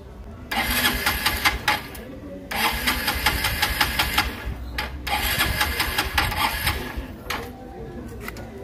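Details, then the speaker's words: Honda Dream Neo 110 motorcycle in neutral, carburetor tuned and spark present; flooding suspected: repeated rough cranking bursts with no catch or idle; hard starting, cranks but won't fire. "As you can see, look how hard it is. It is struggling to start it up."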